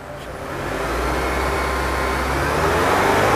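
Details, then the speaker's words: 2009 Honda CR-V gen3, K24 automatic, stock exhaust, revved up to 4,000 rpm: smooth, even engine sound with no main or rod bearing knock. "Ini RPM 4.000. Suara mesin halus tidak terdengar suara metal duduk maupun metal jalan."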